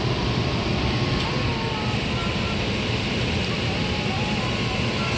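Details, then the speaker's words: Liebert steam humidifier water fill valve: steady hiss of water filling normally over equipment-room hum, no more buzzing or chattering. "and once it drains enough I'm going to set it back the normal operation and I'll show you that study and we're not chattering anyone"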